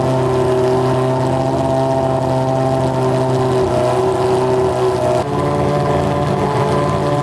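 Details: Honda CBR600 four-cylinder engine in a custom go-kart, on a gravity-fed gas tank: a steady, even drone at raised speed with unbroken pitch and no misfire gaps. All cylinders seem to be running.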